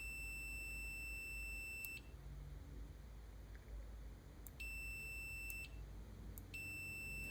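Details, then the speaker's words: Computer mouse left-click micro-switch, after disassembly and cleaning to fix a click that released intermittently: continuity meter beeps start and stop cleanly with each press, matching the switch click, reading about 0.1–0.4 ohms closed; good, consistent contact, fixed. "Again, I'm looking for the click of the switch here to line up with the continuity sound."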